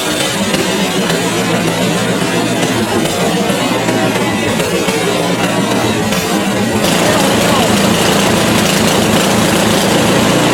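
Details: PowerSmart 24-inch gas snowblower, first start of the year with the choke on, primed three times, on the electric starter. It catches and settles into a loud, steady run with no misses or hunting; a clean cold start and run.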